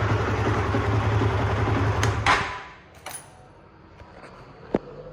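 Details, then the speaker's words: Honda CBR150R Fi (Thailand) single idling evenly for two seconds then shut off, after replacing the cam chain, tensioner guide and tensioner, with the original exhaust refitted; no chain rattle or slap and smoother than before; normal idle. "Oke, jadi seperti itu kira-kira suara mesinnya setelah mengalami penggantian rantai keteng, lidah tensioner, dan juga tensionernya. Jadi suaranya terlihat jauh lebih halus dibandingkan sebelumnya."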